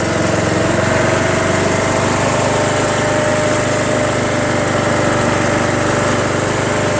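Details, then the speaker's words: Craftsman LTS1500 lawn tractor repowered with a rebuilt 17.5 HP Briggs OHV single built from two blown engines, with pushrods swapped back and valve lash redone, new fuel system and battery. On a test drive it is a steady, even drone under load with no knocks or misses, running great. "pretty happy this thing runs and drives great"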